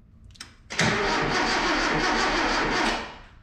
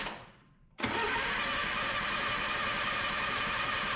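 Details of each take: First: 1977 Datsun B210 whose ignition had been tinkered with, cranking: a steady, even two-second starter whir with no grinding or clicking. The starter spins the engine strongly, a healthy crank. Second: 1977 Datsun B210 after cleaning fuel and ignition systems, first start attempt; two long bursts of fast, even cranking with a pause between, turning over steadily but not yet catching.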